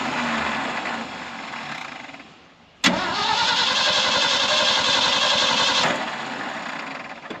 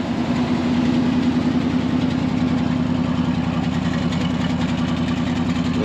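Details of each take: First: 1974 Ford F600 dump truck, sat for two years, choke pulled: steady, even cranking for nearly three seconds before it catches and runs rough. Long cranking, hard start. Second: 1974 Ford F600 dump truck gasoline engine after sitting two years, smoking a little: steady, even idle with a regular pulse of about three and a half beats a second, no knocks or misses; running well.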